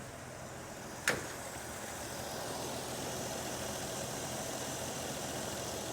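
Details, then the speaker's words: 1947 Dodge D24 Deluxe inline six with fluid drive, not run in over six months, owner suspecting an ignition issue: starts and idles quietly and evenly with no knocks, ticks or misses, and oil pressure shows on the gauge. "this thing is so smooth check this out you can see it got the gauges oil pressure"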